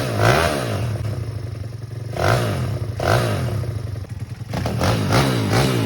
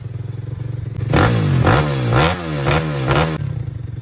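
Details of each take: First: Pitbike (KXY110F frame) with a swapped YX140cc single-cylinder engine, blipped in uneven bursts with revs surging and dropping and a clattery, stumbling note between blips; running rough, with a new CDI box and carburetor planned. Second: Pitbike (KXY110F frame with a swapped YX140cc engine, new fuel lines and filter): about five quick throttle blips that rise cleanly and drop back to a steady idle with no misses or clatter. Normal running.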